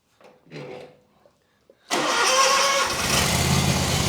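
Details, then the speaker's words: Kawasaki FX691V twin on a Gravely Pro-Turn 148 XDZ mower, started on choke after a carburetor replacement. It had sat a while and ran only on choke while backfiring; now it catches at once and idles steadily with no popping or backfire. "that I tell you what that Amazon is making this sucker perr so I totally suggest if you have one of these FX or F series mowers just buy the new carburetor"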